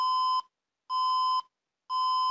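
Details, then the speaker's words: HP Compaq dc7800 USDT PC on an undersized 90 W HP adapter (19.5 V, 4.62 A). Even half-second beeps repeating four times with four red LED flashes; it booted on a 200 W adapter. "beeps four times and flashes four times."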